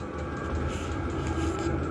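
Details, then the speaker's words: Cheap Amazon diesel heater just installed under passenger seat box of a 1992 Land Rover Defender, exhaust pointed down for condensation: steady low rumble with even whir on top, no surging; running normally and putting out very warm air. "well y'all we did it i don't know if you can hear it but it's rolling"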